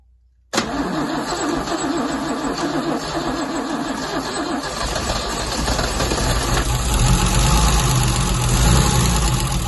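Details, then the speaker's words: MGC 3.0 straight six, first start in about 33 years, carbs rebuilt, choke set manually, no coolant in it: brief crank, then it catches and settles into a lumpy but steady idle with no knocks or misfires. "There we go. First time in about 33 years, I think it was."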